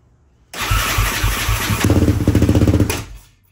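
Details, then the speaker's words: 2004 Yamaha Raptor 660 dual carb (Pro Design intake, K&N filter, full Yoshimura exhaust), sat long, fresh fuel, choke off, first start: catches and runs rough with uneven thumping about two seconds, then dies; won't hold idle. "happens shutting right off let's try with a little bit of Choke maybe it's got still got to be chok"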